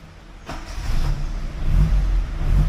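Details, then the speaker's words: Fiat (SEAT) 127 small four-cylinder, after exhaust leak where manifold joins the downpipe was packed with gun gum: fires and settles into a steady, even low thrum with light revs, no exhaust blowing; sounds a lot better now. "Oh goodness, that's a lot better."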